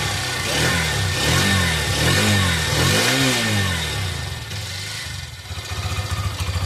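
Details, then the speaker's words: New Hero XRM 125 single-cylinder bike with an oil pump complaint: idling evenly around 1300-1400 rpm with a steady low putter under background music; sounds healthy. "ஐயா இது கொஞ்சம் கொஞ்சம் 1400 1300ஆpஎம் தான் இருக்கும்."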